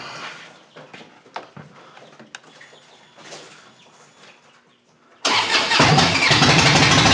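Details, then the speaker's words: 2007 Harley-Davidson Dyna Street Bob after a new starter was fitted to replace one that lagged intermittently. Quiet clicks, then a clean crank that catches straight into a steady, lumpy V-twin idle; the starter engages and spins smoothly. "go oh yeah it sounds pretty good so that sounded pretty good let's try it one more time i always like to try it twice"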